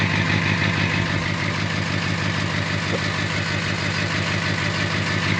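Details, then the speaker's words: 2006 Ford F-550 6.0L Powerstroke diesel idling after a fuel system overhaul and blue spring kit regulator repair. Steady clatter at about three pulses per second with no hunting; healthy idle, though owner thinks there may be a little smoke. "Into the exhaust here. Yeah, it sounds pretty good."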